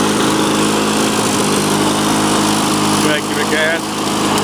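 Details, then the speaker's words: 2001 Lawn-Boy Duraforce two-stroke mower, repaired with a cleaned fuel system and rebuilt carb, holds a steady, high, even buzz without surging or misfiring. It runs normally. "then you can see running and this is how a machine should run typically if it's in relatively okay shape"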